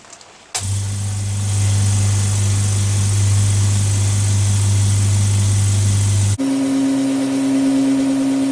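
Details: New Orazio air compressor on its first test run after unboxing, with air hose and blow gun connected and filling toward 8 bar: strong steady low hum with an even pulse, then a shift to a higher steady tone; normal filling run.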